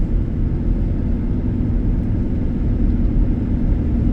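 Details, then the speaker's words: 2010 Ford Expedition 5.4 4x4 on a test drive, tires about 30-35% tread: steady low road rumble at cruising speed with no clunks, knocks or tire hum; suspension and tires sound healthy. "it drives smooth. I don't hear any suspension noise. And despite the tires only being like 30 35%, they're they're not riding rough at all. They're not making any noise."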